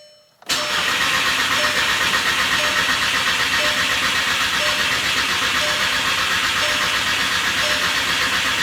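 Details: VW MK6 GTI after a replacement engine install, 12.4 V battery with jump box, mass air flow sensor connected, fuel pump priming, fresh gas: steady starter cranking about four pulses a second that never catches; cranks but won't start.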